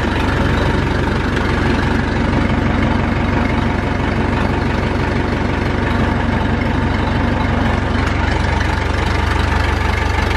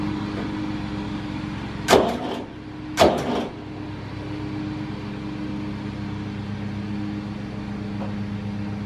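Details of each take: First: Massey Ferguson tractor with four-cylinder Perkins diesel, started after sitting, no smoke: steady, even low diesel clatter at idle, about three beats a second, no stumbles or knocks; normal idle. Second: Massey Ferguson 35 diesel tractor, sat unused: steady chug with uneven lopsided beat and two loud clanks, running on two cylinders; one cylinder honed at rebuild and thought to need working in, runs on three when warm under load.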